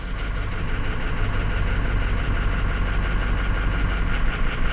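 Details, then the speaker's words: 2006 Ford 6.0 Powerstroke diesel at idle during a cylinder-drop test: a low, even clatter with no stumbling or hunting, sounding better now. Disabling cylinder 8 makes no difference, so it is suspected. Normal idle. "okay you ready okay see sounds better now see let's go ahead and knock this one out"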